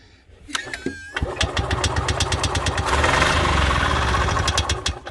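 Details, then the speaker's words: Columbia Parcar golf cart after the fuel pump line was filled from a squeeze bottle to prime the carburetor, choke on: short whir, then it catches into a quick, even single-cylinder putter; a normal start on choke. "There it is. Okay. Helps if the choke's on."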